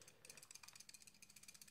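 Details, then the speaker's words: Wismec Luxotic DF box mod: fast crisp plastic clicking in a steady shaking rhythm, about ten a second, from the wattage up and down buttons rattling in the housing; noticeable button rattle. "now you do have quite a lot of button rattle"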